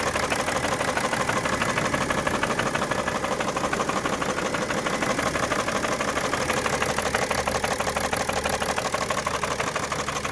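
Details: 2011 BMW 335d diesel bought with a bad knock and heavy smoke: harsh, rapid, metallic clattery knocking at steady idle; source of the knock not yet identified.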